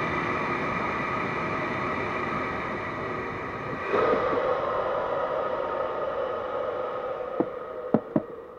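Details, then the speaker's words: Blower after replacing two bearings, port-blocked test then switched to full power: steady airy whoosh with constant hum, even through the speed change, no grinding or rattle. A little noise at full power probably from vacuum. Healthy after repair. "let's put it on full power it's not that bad that's probably because it's like go in the vacuum or something"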